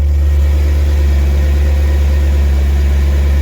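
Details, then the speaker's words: BMW E39 M5 idling after a fuel filter replacement, checked for leaks from underneath: steady, even idle with a smooth low hum and no misses, knocks or hiss; the engine sounds healthy, with fuel pressure running through. "Everything's good. You can hear the pressure running through it, so everything's good."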